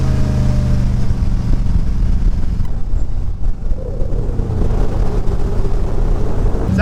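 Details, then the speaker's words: Cheap used speedboat engine after new spark plugs and plug wires, warming up on the water to 120°; steady even drone at constant speed with no misses or stumbles; running cleanly. "like it's running good so far I haven't heard a m yet and we're up to 120° so hopefully that fix the problem"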